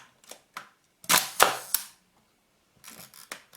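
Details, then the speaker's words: Hasselblad Planar C 80mm f/2.8 T* leaf shutter at 1 second after servicing the sticky slow gear: several crisp, clean clicks about a second apart, no drag or stutter; normal operation. "Let's see how 1 second is. Wow, it looks good. Yeah, I think it sounds like it is actually very good."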